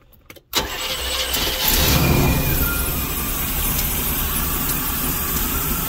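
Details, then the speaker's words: Motorhome engine after carburetor base gasket sealed against an air leak, distributor timing set, and mixture adjusted: short crank then steady even idle with no misses or hunting; much better than before, cold-start adjustment still pending. "she sounds pretty good a lot better than what she did"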